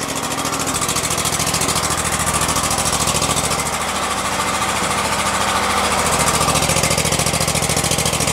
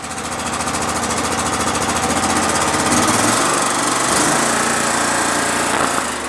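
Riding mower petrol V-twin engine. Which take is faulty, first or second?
second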